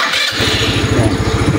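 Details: Rusi Rapid motorcycle after repair of idle that kept dying: push start fires first try, settles at once to even quick popping idle; no throttle needed, no longer stalls, idle RPM higher.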